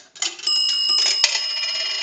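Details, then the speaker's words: Northern Electric 3-slot payphone after repair and conversion, final checkout via an amplified pickup taped to the receiver: a dime gives two quick bright bell strikes close together with a clear ringing tail. Normal dime signal. "We want to do a dime. A dime is going to ring the bell 2 times."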